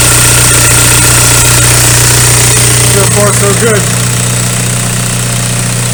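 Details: VW ALH TDI diesel idling after injection pump head seal replacement and fuel line bleeding; even clatter at steady idle, about 200 beats a minute, no misses or hunting; no leaks afterward, normal idle.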